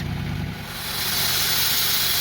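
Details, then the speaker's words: 2000 Lexus RX300 running, heard from beneath the car: low idle rumble then a loud steady rushing hiss when the exhaust is blocked, a huge exhaust leak at the downstream oxygen sensor flange whose bolts have rusted away, leaving a gap. "good did you hear that so that's very huge leak and the leak actually is coming from here"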